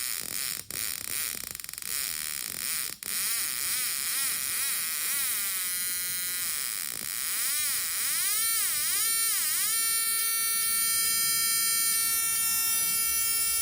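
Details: JF109 spark plug tester powered by a 12V 2A adapter, new and just unboxed, nothing happening at low settings: a high electronic buzz whose pitch sweeps up and down, then holds steady as the setting rises; the tester sparks normally.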